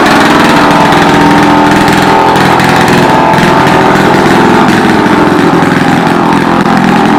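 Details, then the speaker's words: 1940s (about 1946) two-stroke rototiller on its first run after years in storage: loud, raspy buzz held at one fixed speed because the throttle cable is broken; kill switch doesn't work, muffler very loud. "throttle cables broke can't throttle it up or down kill switch doesn't work choke her out she's just as good muffler yeah she's loud I mean loud my ears are still ringing"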